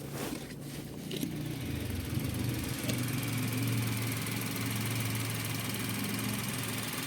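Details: Suzuki Every DA17V minivan, warm engine at low idle about 800 rpm: light uneven rattle over steady hum, roughly three beats a second, gone above 1000 rpm or on throttle; owner suspected tensioner bearing but noise remained after replacing it; idle rattle.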